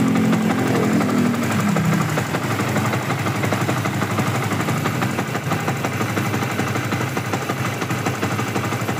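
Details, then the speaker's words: Yamaha Vixion single on its first test start after an engine rebuild, after the cam chain jumped and the valves hit the piston, causing loss of compression. Brisk start, then a steady, even idle of about three beats a second with no knocking. Compression restored; normal idle. "Ya udah halus juga suaranya ya dan sudah normal."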